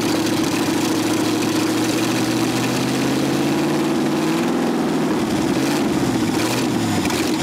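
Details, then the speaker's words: 1965 Ford F100 V8 buried over 50 years, first start with no exhaust, choke held and pedal pumped: loud open-pipe V8 running briefly, pitch wandering and sagging as it struggles; runs only with choke. "i think a lot of it's a choke though it needs to be choked it ran there's no doubt"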